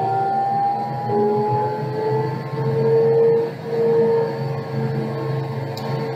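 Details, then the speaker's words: Electric motor after communication with the laptop was restored from Fail Over, speeding back to its preset 1500 RPM, confirmed by tachometer and laptop; steady hum with whine climbing smoothly in pitch. Motor returning to set speed. "now we're back to 1500 on the tachometer and the laptop agrees with that you can see in the upper right hand corner of the laptop it's the speed we expected it to be."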